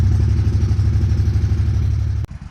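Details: 1996 Craftsman riding mower, Kohler 18 hp Magnum engine, revived after sitting unused for years: small engine thumps along at a steady, even beat, then cuts off sharply; running normally.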